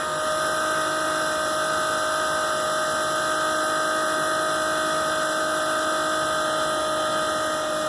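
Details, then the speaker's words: RV macerator pump emptying the black and grey holding tanks into a household toilet, with the tank nearly empty: steady, even electric hum with a few constant tones and no surging or labouring; the pump is running normally, chewing up debris. "sounds like it might be close Kubby just chewing up debris"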